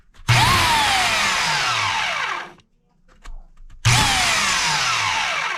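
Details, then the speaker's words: Oregon CS1500 120V electric chainsaw after the armature repair with quick steel: two steady bursts of high motor whine that spin up cleanly and wind down evenly, with no rattle or grinding. It runs normally. "okay got it together and sounds like a normal one now we'll watch that right there let me do a little black mark there with my Sharpie pin"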